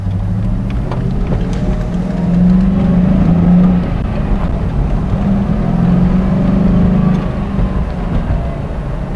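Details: 2001 Ford Mustang GT V8 idling with a deep, busy drone that sits faster than normal and swells twice; high idle began a few days after purchase; a hose replacement made zero difference, cause still unknown.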